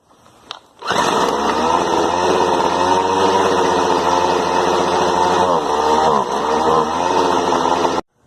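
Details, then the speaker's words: Fairly new Poulan Pro weed eater, formerly starting only briefly on choke, after reattaching a detached fuel line: fires and holds a high, buzzy steady run about seven seconds with a brief dip, then cuts off; running normally. "the fuel line wasn't attached that's why"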